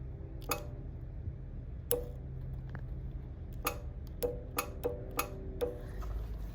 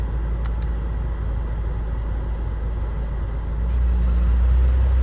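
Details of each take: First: 2005 Honda Jazz with AC not working and low refrigerant, connections jumped to test compressor: sharp, irregular clicks over low engine idle hum as the AC compressor clutch engages and disengages; compressor working. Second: 2005 Honda Jazz at idle after topping up low AC refrigerant: steady idle, then the hum steps up louder as the AC compressor clutch engages and the fan comes on normally.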